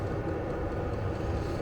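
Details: Vevor diesel air heater in a Fiat Ducato van, app showing room 20°C, level 10, combustion chamber 277°C, 100 m altitude: soft steady low hum and rumble, even airflow, no pulsing or sputter; normal running.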